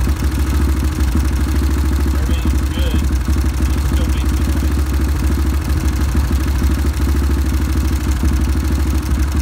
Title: Ticking noise